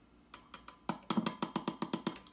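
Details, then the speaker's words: Fender Twin Reverb on the bench, preamp tubes tapped one by one: about ten sharp taps, each ringing with a bright metallic ping through the output. The second preamp tube is very microphonic. "this one this one right here very microphonic second tube"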